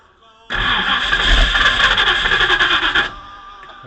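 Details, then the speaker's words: 1959 Ford Thunderbird engine catches with a roar, runs rough about two and a half seconds, then stalls; it also won't stay running when the pedal is feathered. Owner suspects plugged jets, with fuel reaching only the idle circuit. "So, it's having an issue with this thing not starting >> and uh it'll like start up but then die."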